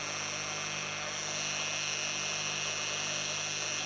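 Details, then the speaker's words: Homemade belt grinder build, electric motor bench test: smooth, even high whine with a steady hum underneath and no rumble or grinding; the bearing noise is gone, and the motor and its bearings run clean. "Il n'y a plus de bruit de roulement."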